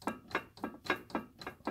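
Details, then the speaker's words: Ryobi 3302M offset press, main oscillator roller below the ink fountain at the delivery end, rocked by hand: sharp wooden-sounding clacks about three or four a second, play from a worn oscillator drive block. "so just below that you've got this main oscillator and what i want to do is see if i can sure there's play in this"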